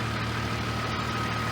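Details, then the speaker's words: 1996 Jeep Grand Cherokee Laredo idling steadily after fuel pump and filter replacement for a crank-no-start, fuel system primed by cycling the key about 8 times; constant low hum with no stumbles or misses. "And as you can probably hear, it's running. So had to turn the key off and on about 8 times to get the full system primed with enough fuel to start."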